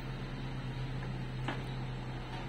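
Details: Daihatsu Taruna rear left power window after repair, with the glass mount re-glued: the motor runs with a steady, even low hum and no strain, grinding or stalling; it now works smoothly.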